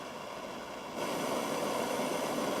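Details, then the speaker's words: Butane soldering torch lit, flame size raised with the rear minus-to-plus toggle: even soft hiss stepping up louder about a second in; torch burning cleanly, normal. "you'll notice that as i have the torch lit i can increase the size of the flame just by toggling that switch back and forth"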